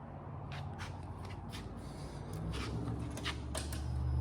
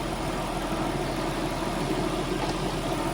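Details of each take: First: Nissan R33 Skyline GTST RB25DET after rebuild and fuel pump swap: low uneven idle with wavering rumble and clatter, blowing black smoke; blow-off valve spring too weak, valve opening at idle. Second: Nissan R33 Skyline GTST RB25DET after rebuild, idling cold after split fuel hoses were fixed with an Aeromotive pump and new lines: low, steady, smooth burble with no knocks or ticks; it purrs.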